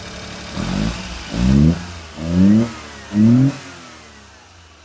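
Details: Lifted 4x4 mini truck with dump bed running with the air filter lid removed: four quick throttle blips climb cleanly and fall back to idle without stumbling; revs freely, though the owner suspects mouse debris in the frame intake chokes it with the lid on.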